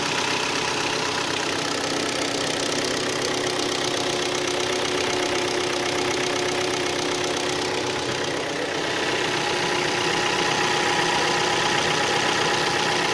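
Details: Hyundai ix35 G4KD engine, 66,000 km, started cold after 12 hours standing outdoors, idling with a steady, light, tinny, sharp knock about four times a second; piston knock from scoring in cylinders 2, 3 and 4.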